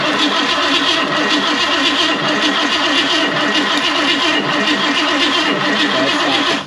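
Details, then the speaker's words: 1969 Ford Mustang Fastback engine cranked for the first time in about 30 years, valve covers off, distributor disconnected: steady even starter whirr without firing, cranks freely with no binding; oil reaching all rockers, oil pump good. "now while we're also cranking it I can hear this thing sparking even though I have it disconnected from the distributor right now"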